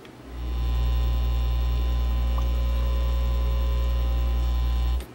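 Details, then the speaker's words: Dual CS430 belt-drive auto-return turntable powered on without playing a record; loud steady low AC hum that stops when switched off: grounding problem. "Yeah, this one's got a AC hum, so that's saying it's got a grounding problem. That's telling me right there it's got a grounding problem even without playing any records."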